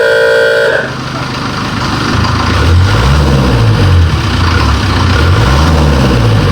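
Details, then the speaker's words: Series 2 Land Rover diesel, first start in three years after new starter motor fitted, weak battery: catches after horn toot, settles into even clattering idle with slow lumpy pulse; normal diesel rattle. "For those of you who don't know anything about diesels, that rattle and knock, that is exactly what it should sound like. They all sound the same, these diesel 204s."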